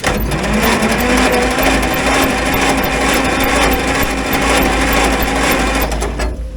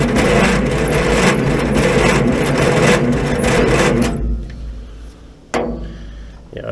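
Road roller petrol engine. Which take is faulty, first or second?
second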